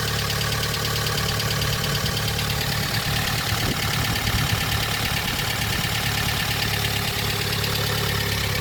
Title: 2006 Honda Element K24A4 engine, louder engine noises after valve adjustment